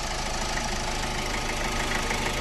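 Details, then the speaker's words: Ford EcoSport 1.4 diesel, after fault codes cleared, previously misfiring with vibration, pickup problem and malfunction light: steady, even idle clatter with no stumble; normal idle, no misfire. "ఇందాక vibration అయింది కదా చూడండి ఎలాంటి missing ఇట్లా ఏం లేదు చూసారా silent గా ఉంది ఓకే"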